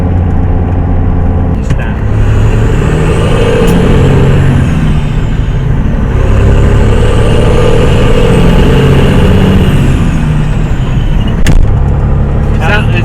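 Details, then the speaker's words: Caterpillar C15 truck engine with a new Switch Blade turbo and over half a million miles, being revved: deep low grinding growl under the roar that rises with revs, attributed to the damper, which has been an issue from the start. "that noise you're hearing now that a grounding down deep that's the damper"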